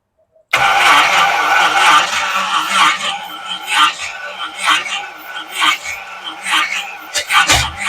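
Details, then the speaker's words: Classic Chevrolet Apache truck, first start after rebuilt engine, Holley 390 CFM carburetor and new wiring harness: silence, then catches at once and keeps running, choppy and uneven but sustained; fresh rebuild starts and runs. "All right. Yeah, guys. Well, it starts. It does start in there. It should be good."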